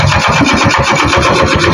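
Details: Kawasaki CT100 motorcycle that had spark but would not start, now running after air screw set to one turn out: even single-cylinder putter, roughly ten firm pulses a second, no skips or stumbles, a clean steady idle.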